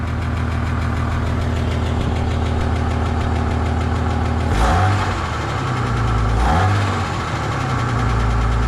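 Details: Ford EF Fairmont before centre-section muffler replacement, clamps around catalytic converter: rough buzzy idle with tinny rattle and chuffing blow swelling on two short revs; baffles loose, suspected hole in muffler.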